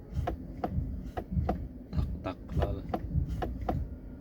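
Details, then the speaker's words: 2024 Chevrolet Cobalt, 22,000 km, in Park, brake pedal pressed: sharp light uneven ticks about twice a second, stopping once the pedal is pressed; suspected shift-lock solenoid tapping, not confirmed; brake error also present. "Pada turgan payti yaxshilab e'tibor beringizlar. Shunday skorost ushlab turib, tormozni bitta bossak, mana. Ovozi eshitilyapti menimcha."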